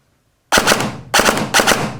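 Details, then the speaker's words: Novritsch SSR9 airsoft gearbox after the motor-height screw was turned out from too high: three short bursts of fast, crisp cycling without the earlier high-pitched whine, which the speaker says sounds way better. "Okay, now it sounds way better. Now at this point, we can adjust it a little bit more up, more down to optimize the sound. The sound we're looking for is very clean."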